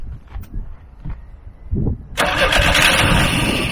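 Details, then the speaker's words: Free truck being started with carb cleaner and fuel pump checked: ragged uneven coughs and sputters, briefly catches and runs rough; stumbling and stalling, suspected not getting enough fuel or switch not on. "no way man this thing is the switch on yeah maybe it's not grabbing the fuel there's not not enough view"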